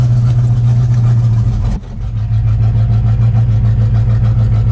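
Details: C4 Corvette V8 after a steel brake booster replaced the plastic one: deep, steady, even idle burble with no hiss or hunting. The vacuum leak is gone.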